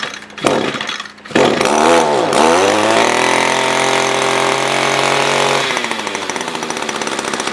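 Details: SRM-210 trimmer after carb replacement, during main/idle screw adjustment: revs up and holds a high buzz, then sags into choppy, uneven firing; owner thinks fuel level is below the fuel filter, causing fuel starvation.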